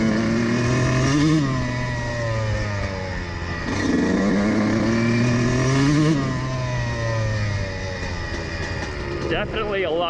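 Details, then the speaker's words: Two-stroke dirt bike after the needle position was changed from too rich: the engine revs cleanly through midrange throttle with an even, crisp note and no spitting. It is much smoother now. "de course plus lisse oui c'est beaucoup mieux"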